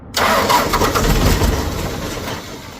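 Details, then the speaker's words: John Deere 4045 diesel, rebuilt a year ago with new injectors, starting up; harsh uneven knocking clatter "ga ga ga", sounds horrible, previously knocking badly; cause is the injectors, due for replacement: diesel injector knock. "It's just ga ga ga ga ga ga ga ga. And I know what it is. I know the cause. It is because injectors."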